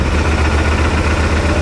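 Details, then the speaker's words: 2018 Odes 1000 X2 LT UTV after valve adjustment, new spark plugs and plug wire, front cylinder earlier had no spark: starts right up into a low, fairly steady idle with faint unevenness, slightly rough; owner suspects something at the back, not confirmed. "it's got a little rough idle sounds a little rough it could just be the stuff in the back though right on around"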